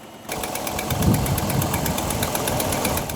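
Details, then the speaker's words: 2006 Chrysler 300C V8 with 165,000 miles, just fired up: fast, even diesel-like ticking over the idle rumble that persists; an exhaust leak is suspected and revving may clean it up, not confirmed. "I bet you it'll clean up if I rev it a little bit. I mean, it's still there, but I think it's an exhaust leak."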